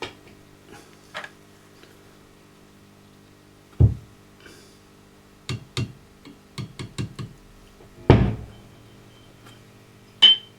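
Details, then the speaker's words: Marshall JCM2000 TSL amp with blowing HT fuses: tapping valves gives sharp taps over steady mains hum, some with a brief metallic ring; traced to one microphonic preamp valve transmitting through others, replaced with a JJ. "listen to that yes tapping on any of these now produces that microphone this s it's actually this which is the problem interesting"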